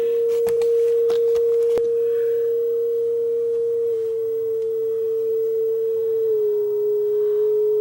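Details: Aiwa AD-F370 cassette deck with all belts reportedly replaced, playing a test tone; the clean steady tone steps slightly lower as motor speed is trimmed, because the deck was running fast with lots of wow and flutter.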